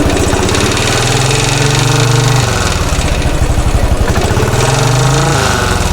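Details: 2013 Royal Enfield Classic 500 single, first idle after engine teardown to remove stray M5x35 bolts, oil level okay: decompressor noise gone, but a rattle swelling and fading every few seconds remains, source unknown; tappets and rockers to be checked.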